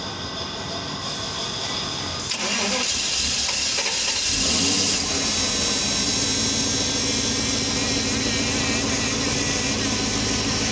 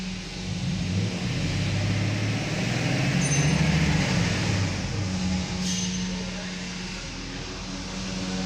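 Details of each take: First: Mercedes S500 (2000–2006 S-Class): long steady fast cranking that never catches into a run; crank no-start from low fuel pressure, both fuel pumps failed. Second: Mercedes S500 (2000–2006 S-Class), which had failed fuel pumps causing crank no-start: catches cleanly, revs up and back down smoothly with no stumble or misfire; running normally.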